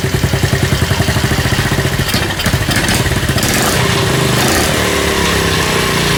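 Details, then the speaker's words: Honda CD50 single-cylinder engine, rebuilt after an oil leak, first start on a stand with little oil in it; quick even putts with less abnormal noise than expected, no cam chain tensioner ticking, a normal idle; music in background. "思ったほど異音もなくかかっちゃった。"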